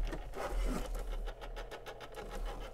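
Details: Soundesign Model 3578 flip clock radio, just plugged in: steady low hum with rough scratchy chatter like worn gears in the clock motor; noisy motor, cause not confirmed.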